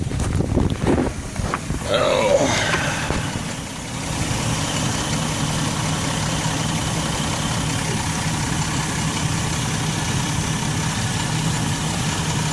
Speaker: So finally got it started up, got it running. See, look how quiet it is. Sounds good.